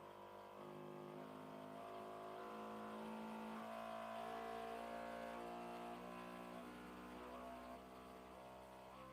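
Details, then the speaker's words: New Bambu P1S 3D printer running its vibration/input-shaping calibration: clear musical tones stepping up and down in pitch every half second as motors sweep resonances; normal vibration calibration test. "guys I think it's angry can you hear that yeah the build play adds weight which will change the harmonics does this mean I need to redo it right after"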